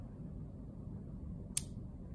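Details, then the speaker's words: Relay tested off the car with power on coil terminals 85/86: a single sharp click as the coil's magnetic field closes the switch. A normal, healthy relay click. "it's getting closed and open so this is how relay Works after providing the power rank around to 85.86 coil will create a magnetic field for us and it it will close the switch"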